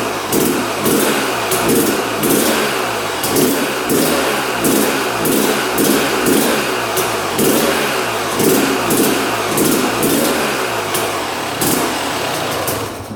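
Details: 1997 Yamaha YZ250 two-stroke dirt bike, reported non-starter, fires first kick on choke with fuel on but crackles and revs in rhythmic bursts about every second, never settling to idle; right-hand crank seal sucking transmission oil suspected as a cause.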